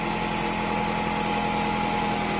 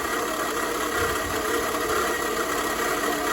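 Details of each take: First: 2004 Toyota RAV4 2.4L four-cylinder after water pump replacement, antifreeze topped off: smooth, even idle with steady low hum, previous harmonic rattle gone; worn water pump bearings were the cause. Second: 2004 Toyota RAV4 2.4 L four-cylinder at idle, before repair: steady idle with a constant harmonic rattle over the engine; owner is nearly sure it is worn water pump bearings and replaces the water pump. Water pump bearing rattle.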